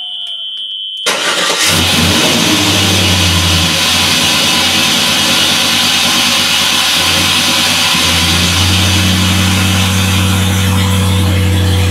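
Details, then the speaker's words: LS-swapped 1986 Monte Carlo SS V8 with a very loud exhaust cranks, catches and settles into a deep, steady, even idle with a brief blip. It runs pretty good, a healthy start. "I'm actually tripping out that the uh check engine light's not off and it's running actually pretty good"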